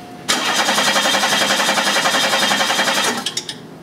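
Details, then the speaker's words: 1991 Chevy Cavalier 3.1L, no start with good spark: steady cranking at about four turns a second that never catches. The scope shows no injector pulse, far below the expected 2.5 A per bank of three; a shorted injector is suspected. "as you can see in this capture there is no activity on here on occasion we're getting uh a little bit of pulsing on the screen but nothing like what we should have which I told you should be about 2 and 1/2 amps for a bank of three injectors"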